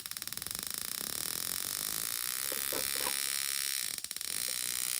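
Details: New JF109 spark plug tester powered by a 12 V 2 A adapter: rapid dry crackling buzz with a steady high-pitched whine, briefly dropping out near the end; sparking normally just before the unit failed.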